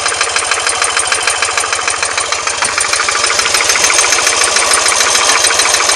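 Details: R100S engine about 500 km after a rebuild, with heads retorqued and rockers and rocker side play adjusted: a sharp, even tapping of about three per second on the left side when cold, gone when warm; piston pins and con-rod bushings later found fine.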